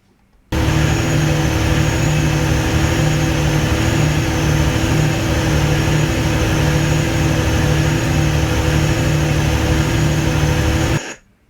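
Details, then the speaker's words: Genset engine under a factory load swinging from 98 to 170 kW. Heavy drone with a slow rise-and-fall surge as speed hunts between 1477 and 1538 rpm. "so you can hear the engine was hunting uh i was looking at it at just at this few seconds it was going from 1477 to uh 1538 rpm back and forth"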